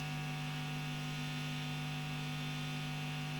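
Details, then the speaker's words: Marshall JTM45 MKII Model 2245 valve amp with chassis open, bias pot being set around 43 and 40 mA: steady low mains hum with faint overtones, no crackle, reaching a null point of minimum hum; normal. "There's a fair bit of hum anyway, but then the whole thing's all open to the elements at the moment."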